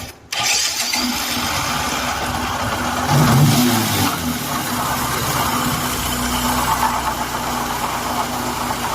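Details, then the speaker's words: Bajaj Discover 100M motorcycle engine running with a loud, harsh, truck-like rumbling roar from worn crankshaft main bearings on both sides; the fix is replacing the bearings and a full engine overhaul. "यह आवाज तब आती है जब दोनों तरफ के मुख्य क्रैंकशाफ्ट बेयरिंग खराब हो जाते हैं।"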